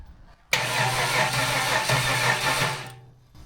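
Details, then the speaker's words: Budget L67 supercharged 3800 V6 swapped into a WH Caprice with a newly programmed ECU, at first fire-up: about 2.5 s of steady cranking that never catches; suspected low fuel pressure or the missing belt, not confirmed. "Build some more fuel pressure. I think it's gonna go. Might need more fuel pressure."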